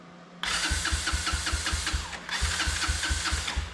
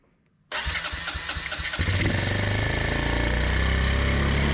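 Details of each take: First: Honda ATC 125M three-wheeler, an old abandoned machine being revived, in neutral with choke on and fuel on: the electric starter churns at about five even pulses a second in two bursts, with no ignition pops. It turns over but won't start. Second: Honda ATC 125M three-wheeler (second generation, revived after sitting abandoned), fresh fuel filter and carb slide checked: brief crank, then it catches and settles into a steady, even single-cylinder idle with no misses or knocks; starts and runs healthy.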